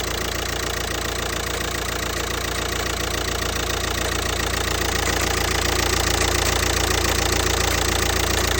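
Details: Audi A3 8P 2.0 TDI (BMM) diesel at idle: even, fast knock about three and a half per second over steady idle; source of the knocking noise not yet identified.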